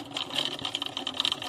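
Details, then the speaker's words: Aquarium external canister filter, flow suddenly reduced: fast, uneven high-pitched rattling chatter over a faint hum as the impeller barely moves, jerking like a failing electric fan. Cause: broken magnet on the impeller shaft, later repaired with glue. "那这也就是表示什么呢？它这个轴心应该是坏掉了。你看它会这样稍微动一下，要动不动，很像我们电风扇那种在处理是一样的。"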